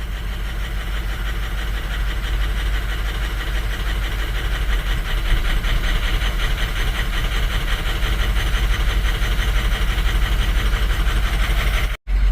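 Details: 2006 Ford 6.0L Powerstroke diesel, rough running and stalling after refuelling: loud uneven chugging idle; power balance shows cylinders 1 and 2 weak, injector trouble from the high-pressure oil system suspected.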